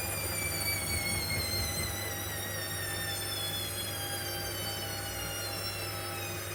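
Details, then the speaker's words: Hoover Optima 7kg OPHS712DF washing machine on a 60-degree wash, after spin and before first rinse: steady low hum with a thin even whine, no rattles or grinding, which owner believes is the drain pump down below; running normally. "you can hear that sound a noise I think is the pump down below down there"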